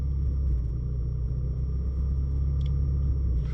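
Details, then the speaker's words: Ford Mustang EcoBoost held near 1000 rpm: a heavy, uneven rumble with the idle sagging and wanting to stall. The low-rpm misfire began in cold weather, cylinder 1 is worst, and the Accel aftermarket plugs are believed to be the cause. "See, look at that. It's just wanting to die because the misfire keeps affecting the RPM."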